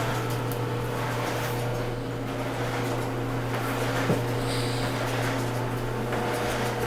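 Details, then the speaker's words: Whirlpool dryer after replacing broken drum support rollers, test spin before reassembly: steady, even drum hum with no rumble, thumping or scraping; spinning smoothly. "It's good to get rid of that noise. Spinning smoothly now. Looking good."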